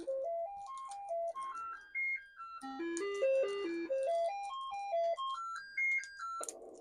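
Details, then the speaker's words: Commodore 64 sound check with a diagnostic cartridge after swapping SID chips: clean stepped tones climbing and falling in a tidy melody, every note clear; this SID chip is working properly. "Okay. And that chip, but that sounded okay."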